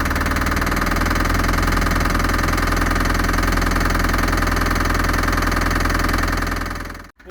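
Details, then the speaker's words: Land Rover Series III, sat in a yard for years, running loudly: rough, uneven idle that won't rev well, with a steady knock about 2.5 per second; owner thinks it is a top-end knock, not diagnosed. "it runs like a Bag of Nails it actually idles on its own it doesn't rev very well and I'm not sure what that knocking is but it sounds like a top end knock"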